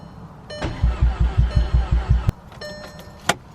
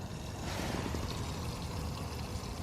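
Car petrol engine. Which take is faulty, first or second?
second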